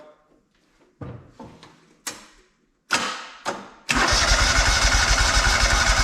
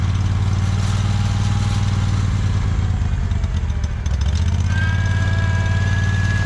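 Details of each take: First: Free John Deere 317 lawn tractor, repowered with Kohler Command 18 hp engine, sat many years: short cranking bursts, catches, settles to steady even run without misses or knocks; still has a fuel leak, owner suspects cracked fuel pump. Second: Free John Deere 317 lawn tractor, repowered with Kohler Command 18 hp engine, sat many years: idle loping and uneven, smooths at higher throttle; rough idle, owner suspects old gas, unconfirmed.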